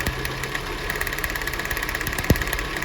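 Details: Jeep Renegade after new spark plugs (old ones had 60–70,000 km) and coils tested OK: idling with a sharp, regular ticking snap and exhaust pops, as spark arcs past the plug boot to the side, causing a misfire.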